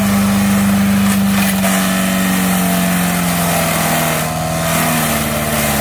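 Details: MTD 5 hp chipper/shredder, revived with a carburetor kit, chipping branches: steady, even drone holding pitch with no misses or surging; slow going but a workhorse; normal running under load.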